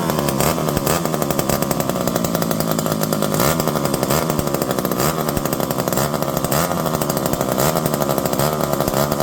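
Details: Revived electric-start McCulloch 5-10E chainsaw with bar and chain, cutting: high busy buzz holding steady under load without bogging or surging; runs properly, calmer under load.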